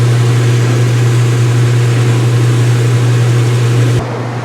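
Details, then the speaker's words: Speed Queen washer, front panels off, white bed sheets, on wattmeter: high-speed spin settling around 500 watts, steady low hum at constant pitch, even rhythm, no knocking or scraping; normal. "All right, guys, and this is what this looks like at high speed. Pretty freaking awesome."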